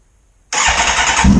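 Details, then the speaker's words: 2009 Kawasaki ZX-10R after blown-engine rebuild, first brief start with no coolant yet: engine catches instantly after a short crank and settles into a steady, even idle with no knocks or rattles; normal start and idle. "I guess the bike still runs. That's always good news."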